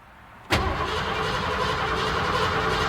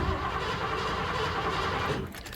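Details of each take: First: 1986 Ford F-150 with 5.0 L V8: cranks steadily for about three seconds but never fires, then the starter stops; crank-no-start, fuel gauge near empty. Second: 1986 Ford F-150 5.0 L V8 that cranks but won't start: steady, even cranking cadence that never catches, suggesting compression is fine and the fault is likely lack of fuel or spark.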